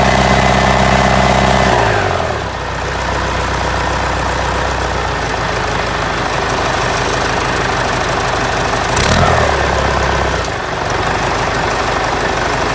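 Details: Ford 4040 industrial diesel tractor before injector rebuild: rough uneven idle, beat drops out then recovers, puffing smoke; misfire from faulty injectors, number two worst, streaming fuel instead of atomizing.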